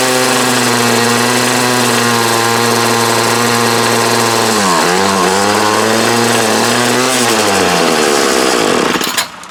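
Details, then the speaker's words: 2008 Troy Bilt TB20CS 31cc two-stroke trimmer with new fuel lines, filter and primer: buzzy note sags and wavers midway, picks up, then cuts out; it runs only on half choke, and the owner suspects dirt in the carb. "Seems like it's only wanting to run half choke, so there's a good chance there's something down in there."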